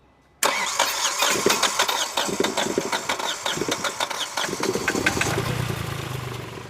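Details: Hyundai Xcent 1.2, replaced engine, 188,657 km, fully cold: fast, even cranking for nearly five seconds before catching into a low idle; cold hard start, mechanic notes lacking compression when cold.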